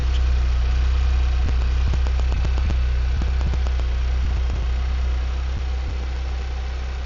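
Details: Hyundai Venue turbo petrol manual on a morning cold start. A low, steady idle carries a fast ticking clatter that gradually eases as it runs; the owner is unsure if only his car has it, and the cause is unknown.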